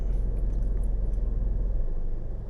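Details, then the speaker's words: 2012 Nissan Rogue, idling: deep lumpy shake felt in steering wheel and seats each time A/C clutch engages, revs drop, not a misfire; fixed by induction service and cleaning dirty throttle body and MAF sensor. "so you can really feel it in the steering wheel and the seats every time it engages you get that vibration right there"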